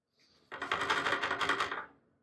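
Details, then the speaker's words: Segway Ninebot F2 Pro e-scooter: a quick burst of light metallic clatter from the rear fender rattling on its bracket because its screws worked loose from vibration and fell out. "is a Segway Ninebot F2 Pro with a loose rear fender that rattles constantly."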